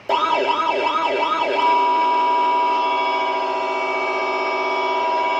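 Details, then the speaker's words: Siren module on 12 V supply before repair: warble then steady wail, each tone harsh, crackly and unclear like a short circuit; faulty amplifier IC. "Ini kita pencet juga sama kayak gitu, kayak suara konslet. Nggak mau jernih suaranya."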